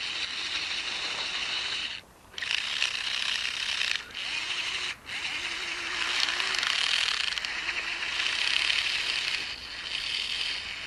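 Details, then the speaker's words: RC Spiderbot with brushed motors, 20A ESC, after replacing a broken gear: high-pitched motor whirring with repeated brief cut-outs and rough chattering; gears slipping, new gear likely broken again. "I can hear the gears slipping already."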